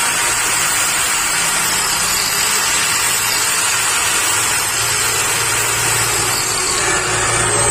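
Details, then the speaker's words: Angle grinder after repair: carbon brushes thinned and whole unit greased, including the previously dry bearings; steady high whine at constant speed with no cutting out, scraping or rattling, quieter than before. "ये हमारा ग्राइंडर बनकर तैयार हो चुका है। इसके हमने carbon Bush पतली किए हैं और इसको पूरे को हमने ग्रीस किया है। इसकी आवाज़ पहले से काफ़ी कम हो चुकी है और ये कहीं अब रुक भी नहीं रहा चलते चलते।"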